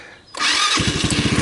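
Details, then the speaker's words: 150cc GY6 engine in a Hammerhead off-road go-kart with failed rear drive bearings, cold start on the key without gas: a brief crank whir, then it catches at once into a quick, even putter with no misses; starts and runs normally. "Oh, good. Started without giving it gas. So you guys could hear it starts, it runs, right?"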